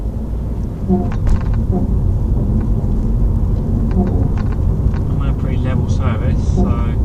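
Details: Renault Megane Privilege 1.9, phone in rear, driving around 30 mph: squeaky rubbing creaks from passenger rear over bumps, louder at lower speed, also on exiting or pushing down rear; garage says suspension fine, owner suspected brakes; cause unknown.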